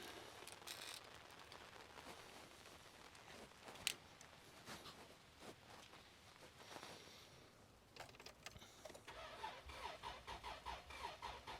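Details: 2003 Isuzu Rodeo crank no start, parked in the rain; the customer had tried an alternative fuel. Slow, even cranking that never catches, while the fuel pump relay control circuit is checked with a test light. Cause unconfirmed.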